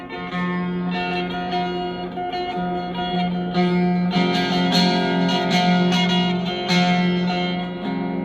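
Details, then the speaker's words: DigiTech Twin Tube GFX1 rack guitar preamp before the fix, with a 12AT7 fitted instead of a 12AX7 and settings at 12 o'clock: plucked notes ring clean and glassy with hardly any grit, a weak distortion caused by the low-gain preamp tube. "Doesn't seem very screaming. Pretty much sounds like a clean demon."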